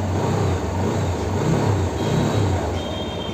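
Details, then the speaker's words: TVS Apache RTR 160 BS6 after throttle body cleaning: steady even idle, no missing or stumbles, rpm holding constant around 1500, no check-engine light on start; normal idle. "Missing तो नहीं कर रही है देखो RPM आ गया day प first class bike start से engine light नहीं जल रही है आरपीएम रुका हुआ है एक ही दर प देखो"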